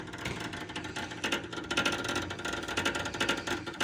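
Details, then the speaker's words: GE wall oven door lock mechanism stuck, making irregular buzzy rattling clatters on and off; it cleared after waiting for the lock to cycle. "Sounds like the door lock."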